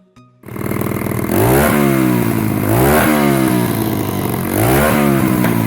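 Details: 2004 110cc Chinese pit bike after restoration: starts cleanly, three crisp revs rising and falling smoothly without misses; running and rideable.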